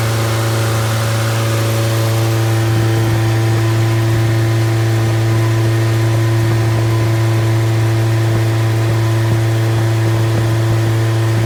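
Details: Completely rebuilt MG Midget 1500 engine (~1978-79), bored 0.020 over, flat-top pistons, 270 cam, 9.5:1 compression, run-tested with no muffler: loud steady open-exhaust drone, firm even low note, no knocks or ticks; healthy.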